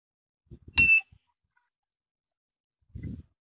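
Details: 1000 W inverter, 12 V DC to 220 V AC, after repair, battery connected through an ammeter; short bright beep at power-up, then a quiet click and no repeating alarm, current draw low, display on. Normal power-on beep.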